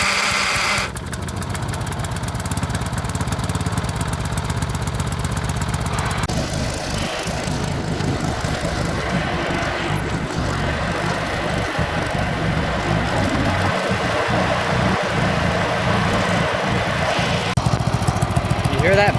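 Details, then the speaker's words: 1983 John Deere 111 riding mower started after sitting a long time: rough, rasping grind over the steady engine beat from a pulley; grind stops when the clutch is pushed in, so it needs new pulley bearings. "grinding noise that's a pulley as soon as i put in the clutch it's gone so it needs new bearings"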